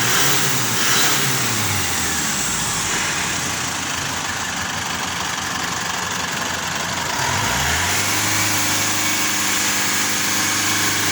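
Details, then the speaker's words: Diesel engine after replacing a dirty diesel filter: runs steady and even with one clean rev dip and recovery near seven seconds, no knock or rattle; earlier noise and low power gone. "yun mga idol palitan pala yung mga idol para mawala yung ingay at saka hindi na siya low power"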